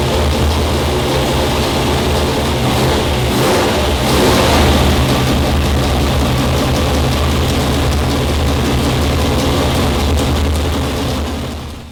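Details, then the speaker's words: Customer's 340 V8 on the dyno, already broken in and tuned, warmed up before pulls; smooth, even rumble at a steady fast idle with no knocks, ticks, leaks or vibrations. Healthy engine. "strange noises no leaks no vibrations the 340 is looking good"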